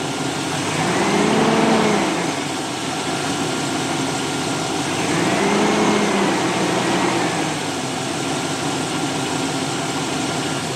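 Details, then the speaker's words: 2002 GMC Sierra 2500HD idling after new manifold gaskets and extraction of broken bolts, EGR plugged: a smooth, quiet, even idle with no rattle. A suspected bottom-end knock may have been an exhaust rattle. "pretty quiet isn't it looks so nice then we got the egr plugged on this side not making noise ugly is all get out but hey listen to that so quiet"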